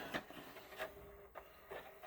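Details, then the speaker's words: JVC 5-disc CD changer, long unused, previously badly jammed: intermittent scraping rubs and clicks about every half second as the carousel turns while it tries to play; dragging on something. "Oh, it's still dragging on something. And it's trying to play the CD."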